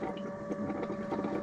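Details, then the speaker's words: Motorhome fresh-water pump, system unused for years, after clearing the airlock; steady even hum with water moving, no sputtering or surging, pump fine, fault was the airlock. "So, it must have been an air lock in it then after all that. I'm glad it was that."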